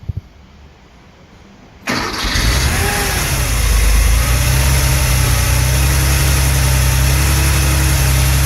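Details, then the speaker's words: Late-1970s Porsche 911 SC 3.0 L, first start after a CIS fuel system rebuild and a new alternator, before CO tuning: a quick start and a steady, even idle. Previously the cold idle fluctuated and spluttered. "sounds really good. We haven't even done the tuning yet, and that's already running better than before."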